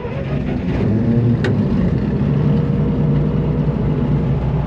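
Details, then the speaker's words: Massey Ferguson 82 combine, auction buy just revived and needing a little choke, oil pressure bouncing: a deep, steady, even rumble with no knocks or misses; normal idle. "It's idling. Wow. Sounds good."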